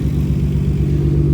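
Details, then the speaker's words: Nissan R33 Skyline GTR after timing belt, water pump, front seals, full Tomei exhaust, oil change and coolant flush: smooth, moderately deep, even idle through the exhaust, no misfire, not too loud. "It honestly sounds good. It's not too loud."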